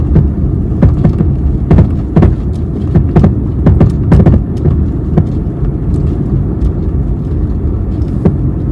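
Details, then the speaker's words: 2022 Maruti Suzuki Swift engine running with a low drone and irregular dull thumps about twice a second; the knocking comes from the engine mounting area, a worn engine mount, before the mount is replaced. "ആ അപ്പൊ ഇതിൽ complaint ആയിട്ടുള്ളത് എന്ന് വെച്ചാൽ engine mounting ആണ് complaint ആയിട്ടുള്ളത് engine മൗണ്ടിങ്ങിന്റെ ഭാഗത്ത് നിന്നാണ് സൗണ്ട് കൂടുതലായിട്ട് വരുന്നത്"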